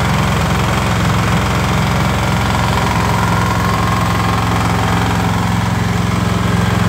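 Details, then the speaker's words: Snowblower engine after shimming out crankshaft horizontal play, bearings fine with no vertical play, at idle: hard regular knock about three per second over low drone; crankshaft suspected, engine replacement likely. "предположить что стучит коленвал потому что подшипники все живые подшипники вертикального люфта нет вообще стой вот а стук остался"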